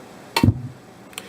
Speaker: and you heard our speakers just, well, why? Well, our mute trip relay didn't kick in. We did not get a click.